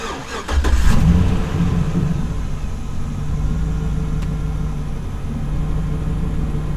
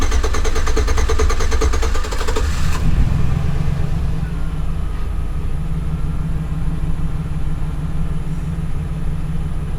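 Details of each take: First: 2008 GMC Sierra with an intermittent hard-crank problem, restarted about 10 minutes after shutoff following a new fuel filler cap: brief crank, catches quickly and settles into a steady, even idle; starts normally. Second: 2008 GMC Sierra, warm restart 20 minutes after driving, after a new gas cap: nearly three seconds of steady starter churning before it catches and idles; hard cranking when warm persists, owner suspects the clogged in-tank fuel pump filter.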